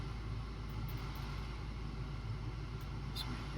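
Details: 2006 Ford Focus after fixing a P0303 cylinder 3 misfire and resetting the computer: smooth, even low idle rumble with a steady beat and no stumbles or skips; idles cleanly on all cylinders.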